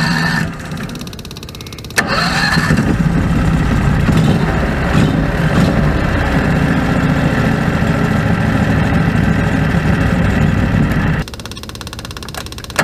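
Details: Predator 670 V-twin with electric fuel pump, after adjusting the stock carburetor screws under the removed caps (factory tune unstable, needed half choke): short crank, steady even lope about nine seconds, then shutoff; idle now stable.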